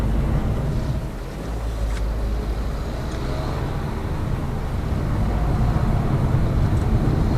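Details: Lada Vesta Cross with AMT 2.0 robot gearbox, fully loaded, over rail crossings and bridge joints; head-mounted action camera. Steady road and engine drone, no knocks or clunks; suspension sound after shock absorber strut replacement removed the knock.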